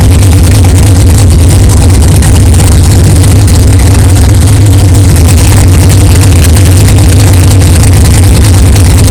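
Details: 1964 Chevelle 383 stroker V8 at first fire-up after an 8-month build, not yet warmed up, 63 lb oil pressure: deep, loud, even burble holding steady, no knocks or clanks; good oil pressure, healthy normal idle.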